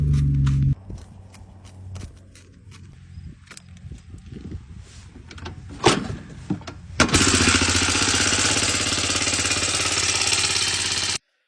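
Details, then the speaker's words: 1986 Honda 250 that runs well but has a horrible engine noise; the exhaust was loose, and valve clearance is suspected. Light tapping, then the single fires loud and harsh with a busy clatter over a steady idle, source unclear. "This thing runs great, but has a horrible engine noise. We're going to see if it's the valve clearance today."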